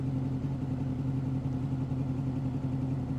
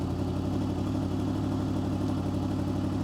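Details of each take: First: 2005 Honda VFR800 VTEC, warm, idle previously about 1500 rpm, adjusted to the manual spec of 1200 rpm; steady even low rumble settling to exactly 1200 rpm, no knocks or misses; normal warm idle. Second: 2005 Honda VFR800 VTEC at idle after turning the right-side idle adjust knob clockwise: steady, even note holding around 1600–1700 rpm, well above the manual's 1200 ±100 rpm spec; idle speed set too high.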